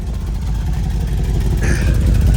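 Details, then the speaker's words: 2007 Mercedes GL450 V8 with a random misfire and low power: a rough, stumbling idle with a faint metallic rattle from underneath. The rattle is bad on startup and when revved; the cause is unconfirmed. "Right now you're hearing the misfire, but yeah, it rattles real bad upon startup, and if you hit it, it rattles."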